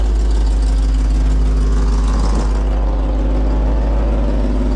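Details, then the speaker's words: Truck idling in park, partly warmed up, just after being refuelled from empty: a loud, rough, low puffing roar from an exhaust leak. "you hear that ridiculously loud exhaust leak just ignore that it's fine"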